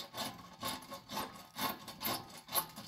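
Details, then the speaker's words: 1984 Mercedes 300SD W126 rear axle pulled out and turned by hand after crunching noise while driving: coarse, gritty crunching rasp surging about twice a second. Failed rear wheel bearing. "let's get it resting on top right there and show you what a bad wheel bearing sounds like nice and crunchy kind of like"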